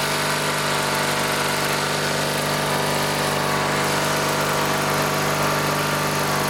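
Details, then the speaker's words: Scrapyard-revived Dynamark lawn tractor, 16 hp single-cylinder rated at 3600 RPM, running with new fuel line and air cleaner off before a governor adjustment: a steady, even drone with no misses or knocks. Normal running. "I want to make sure it's running at 3600 RPM like it says here 16 horsepower at 3600 RPM so that's what we want"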